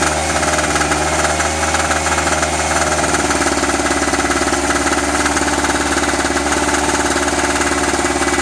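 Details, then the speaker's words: Eagle River ERG1200 two-stroke generator after its first start; fast, fairly regular knock, about three to four per second, over the running drone. Oil smells plasticky, suspected of poor lubrication; cause unconfirmed. "i don't like that knocky sound i gotta pull the oil out check it out"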